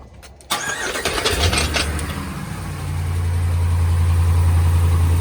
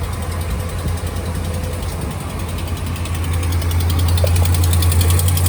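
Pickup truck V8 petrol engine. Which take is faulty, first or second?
second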